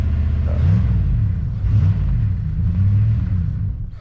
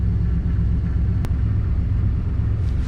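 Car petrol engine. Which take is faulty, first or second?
first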